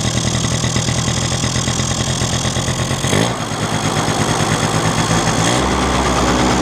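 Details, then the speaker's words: Two-stroke engine: unscrewing the mixture (quality) screw makes the idle fast, uneven and hunting — lean mixture; screwing it in drops revs. Owner suspects the screw backed out by itself, causing the earlier lean running. "То есть, смотрите, если я его выкручиваю, вот видите, мотор стал беднить. Слышно, вот эта беднота пошла."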